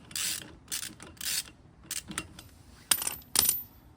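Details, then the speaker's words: 1972 Camper Special truck, wheel loose with the lug nuts removed: dry, raspy whisking scrape in bursts as the drum turns. A drum brake shoe retaining clip had come off and was found sheared. "So, the noise I'm talking about Huh. Not going to lie, I forgot kind of forgot how to put this clip back on."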